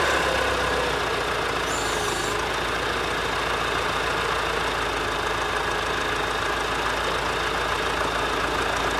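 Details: Warm Ford 4040 industrial diesel tractor after four rebuilt injectors fitted and valves lashed cold: steady, even clatter with no misses, knocks or stumbles; no haze warm, a little black smoke under load; normal warm running.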